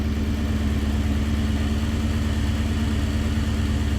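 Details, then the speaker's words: Nissan Gloria with a supercharged VK56 V8 on a Link ECU, not yet warm, master fuel cut from 27 to 17: a heavy, low idle pulsing unevenly about three times a second. It is short of fuel, with pressure being raised toward 3 bar; rough idle. "Oh, we need some more fuel. We need to crank that fuel pressure up."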